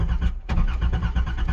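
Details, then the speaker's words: Nissan 300ZX sat for 12 years, on jack stands in neutral, fuel pump audible: steady rhythmic starter cranking about eight even turns a second with no firing or catch; crank no start, confirmed spark issue. "Still nothing. Well, yep, definitely a spark issue."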